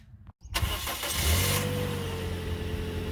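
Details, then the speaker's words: Toyota Corolla after repairing the intake cam gear start-up rattle without new parts, valve cover reinstalled: a quick catch, a brief rev flare, then a smooth even idle with no rattle. A healthy start. "now you test fire [Music] and that's how your engine should sound when it starts"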